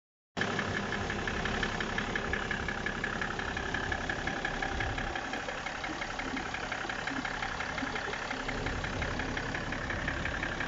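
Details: BMW E60 535d diesel at idle: faint, uneven tapping of roughly two knocks per second over the diesel clatter. Owner asks whether the engine is running normally; cause unknown.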